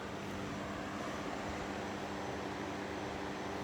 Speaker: not bad it's on par with that little black one I've got up there very quiet it's quieter than that one